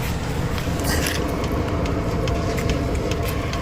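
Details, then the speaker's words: Newly installed Chinese diesel air heater in a van, heard outside the van: quick light ticks over a steady low rumble from the fuel pump, hung on three zip ties; dosing normally. "That's the fuel pump making that ticking noise. But I have it hanging by 3 zip ties, so we won't hear it, we won't feel it in the van at all."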